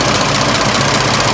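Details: 1926 Oakland engine, back running after 75 years, warm idle (much quieter when warm): steady even pace with busy valve-train clatter, no heavy knock; slight water pump weep, healthy.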